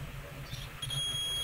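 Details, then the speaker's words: PS4 motherboard (update error SU-42118-6, dead disc drive), multimeter continuity test on fuse F6201 after F6202: faint hush, then a steady high-pitched beep from about 0.8 s; fuse is intact, both fuses OK. "vous entendez, il bip aussi. Donc les deux fusibles sont ok, ils bip."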